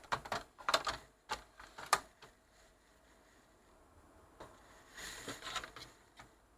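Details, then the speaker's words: Pioneer PD-X77M CD changer after repair of broken cartridge latch lever pivot and reinstalled fallen-out objective lens: irregular clicks and clunks as cartridge loads, then quiet even run playing track; normal loading and playback. "right so you can probably hear in the background that uh is track playing that's track two of this two sorry track one of this two yeah"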